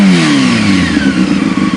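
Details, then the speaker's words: Motorcycle at idle then revved: quick blip, revs fall back smoothly with a deep low grumble and no knocks or rattles; normal rev. "yeah real low grumbly"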